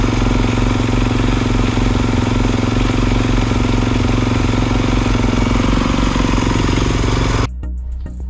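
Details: 2022 Kawasaki KX450 with a no-hot-start fault: a loud, steady bark with a crisp, even firing beat, running cleanly until cut off; runs normally.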